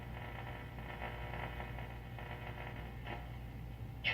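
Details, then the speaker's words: 1935 Western Air Patrol 76 restored radio run away from the variac: faint steady low hum under quiet static with brief crackles; much quieter background, normal, the variac suspected of adding noise. "Much quieter, as always. I really need to get around to fixing that variac."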